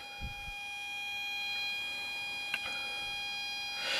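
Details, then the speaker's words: LM386N 0.5 W audio amplifier at maximum 200x gain, 9 V supply, loudspeaker output. At power-up a steady high-pitched whistle with several shrill tones is heard. Parasitic oscillation is confirmed on the oscilloscope. "you'll hear that annoying sound on the background it's nine volts now here here is my oscilloscope that's connected to the loudspeaker and you can surely see that there are oscillations in that circuit"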